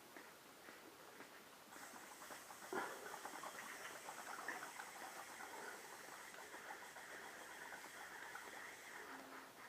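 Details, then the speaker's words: Vacuum bleeding the hydraulic clutch on a 2000 Honda VFR800Fi at 57,377 miles, engine off: steady hiss with fine crackling gurgle as the pump at about 15 psi pulls air through the emptied reservoir and clutch line; dirty old fluid removed. "And we're going to keep pumping until we hear it sucking out of the reservoir up top. So I'm sure you can hear that gurgling."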